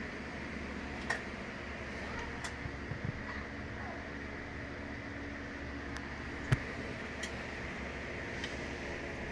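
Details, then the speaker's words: Sharp automatic top-load washing machine after repair of slow drain fault, water level 6 of 8, drain test: steady low pump hum with water rushing out fast and light clicks; drain now strong and normal. "Hintayin ko lang na maubos yung tubig yan oh napakabilis maubos talang kanina hindi ganyan yan"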